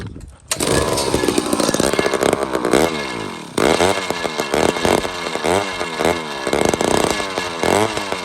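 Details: Old chainsaw with a removable head and a badly deteriorated carb, spark present, given a little fuel: revs surge up and down, sagging and catching, struggling to stay lit. Owner suspects a bad fuel system, possibly sucking air; leak not located.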